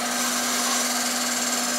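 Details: Toyota Celica running poorly after new fuel injectors and spark plugs, hesitation: steady, unchanging drill-like whine over a quiet engine, no pitch change; source not pinned down, owner suspects a part he plans to replace; idles fine once warm, suspects an intake air temperature sensor.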